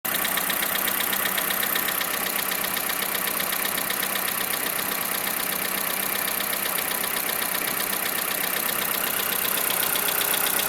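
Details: 2011 Škoda Fabia engine knock at idle: steady idle with a light, regular tapping knock about two or three times a second riding on top; cause not clear.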